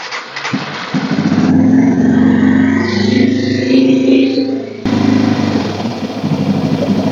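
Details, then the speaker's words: Yamaha TTR230 after fuel screw adjustment, cold start on choke: fires quickly, revs briefly, then settles to a fairly steady idle, still slightly boggy before it has fully warmed up; a normal cold start and idle. "so it already seems to be idling a little bit better still a little bit boggy but it hasn't fully warmed up yet"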